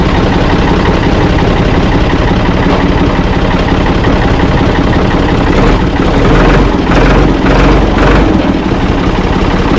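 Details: Ford 445 diesel tractor, owner thinks a 1970s model, restarted with owner aboard: steady low, unhurried idle chug, no knocks or misses; engine healthy, though drive into forward and reverse quit, owner unsure why, suspects linkage.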